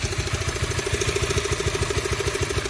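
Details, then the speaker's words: 2016 Honda CB150R, 21,433 km, cold engine at idle: rough, uneven knocking "odok-odok" pulse over low thump, source unknown; owner says common CB complaint, possibly loose tensioner, not confirmed; rough engine noise when cold. "Nah, suara kasar yang sering dikeluhkan pengguna CB itu seperti ini ya. Ini ketika mesin masih dingin,"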